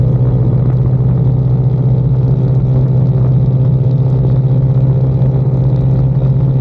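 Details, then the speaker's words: 2022 Icebear Maddog Gen V scooter cruising after electric fuel pump conversion replacing vacuum pump, wideband AFR fitted: deep steady drone with even beat, no sputter or surging at wide open throttle; about 12 AFR at WOT, no stalling at stops. "after fixing our fuel issues um this thing is an absolute unit now uh it doesn't sputter a wide open throttle when you're cruising or when you come to like a really quick stop it's not stalling on me anymore"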